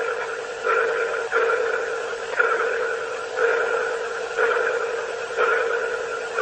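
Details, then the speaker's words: Boeing Starliner capsule speaker, microphone held next to the speaker: a hollow ping pulsing about once a second over a steady mid tone, a sonar-like pulsing noise of unknown source. "it was kind of like a pulsing noise almost like a sonar ping"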